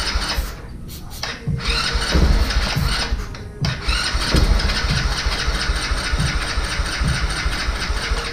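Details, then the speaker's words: Vader 125 Grom-clone motorcycle, first start attempt after assembly, choke up. Uneven cranking bursts with a few coughs but it never runs. The carburetor bowl is empty, so it is fuel-starved; an empty tank is suspected. "seeing if we can get gas out of the bottom of the carburetor bowl so there's nothing in the carburetor"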